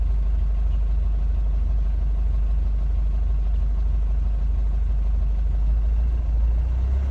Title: Mercedes 651 engine rough idle